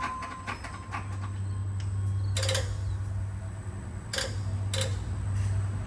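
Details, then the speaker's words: Detroit 12.7 diesel, almost million miles, just overhauled with PDI kit (liners, pistons, stage 2 head, main bearings, rebuilt Jake brakes), first run in shop: low, even idle hum under nearby clanks; no knock or miss, sounds good. "Sounds good. Sounds like an old Detroit. Got to love when you bounce off them Jake."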